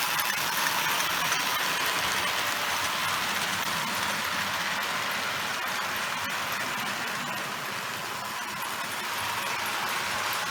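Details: Overhauled Lionel 682 Turbine locomotive on 4x8 layout, after repairing main pickup roller wire shorting to the frame: steady, smooth motor whir with even wheel clicks over track joints, no stalls or crackle; runs cleanly.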